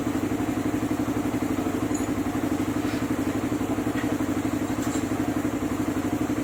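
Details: Suzuki Raider 150 idling after a clutch housing and lining change (an earlier housing was oblong and had to be machined again): even pulse about four per second, clean hum, no clutch-side rattle; engine now quiet, all good.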